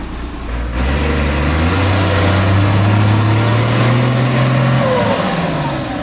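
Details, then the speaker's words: International DT466 diesel in an auction-bought crane truck, first start: it catches right away and settles into a steady deep run as the revs climb smoothly, a healthy start and run. "Let's see if this pig's going to fire up today. Contact. Oh. You just can't beat a DT466."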